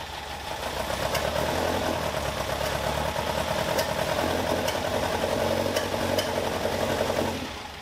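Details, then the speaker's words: Caterham Super Seven after tappet clearance set to 0.55 mm with no change: it runs rough with sharp, irregular pops about once a second; owner suspects the size-60 carburetor jet is wrong for the engine. Intake backfire. "No, it's not fixed. I thought it was a tappet. I adjusted the tappet. No change"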